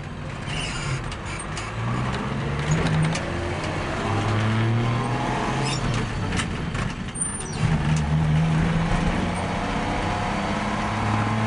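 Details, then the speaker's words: Old pickup truck being driven with drivetrain work partly done and transmission seal still pending: loose uneven rattling over the low engine drone, busier under load, owner suspects loose nuts and bolts; body rattle while driving. "And you can hear my truck rattling up like all the nuts and bolts are loose, which they probably are."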